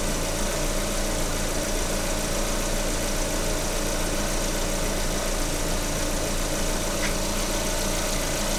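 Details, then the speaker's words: Stethoscope on the water pump of a VAZ 21127 engine at idle picks up a steady, even hum with no grinding or rumble; the pump bearing is normal. "Эта помпа была, помпа нормально."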